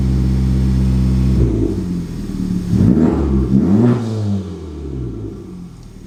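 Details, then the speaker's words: Honda Civic Type R turbo, after work to fix a boost leak: steady engine note rises and falls cleanly through a few revs with crisp throttle response and no hiss; owner believes the leak is fixed. "so i just sent kathy some of the data and it appears to me the car sounds way more healthier on just the throttle response and you know the intake sounds so i think we got it fixed"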